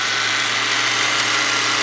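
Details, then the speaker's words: 2000s Ford Mustang V6 at idle after adding Marvel Mystery Oil: light quick ticking over a hissy exhaust note; owners suspect an exhaust leak rather than a lifter, not confirmed. "Hey, it looks like we've developed a exhaust leak and that might be the cause of the ticking rather than it being a lifter."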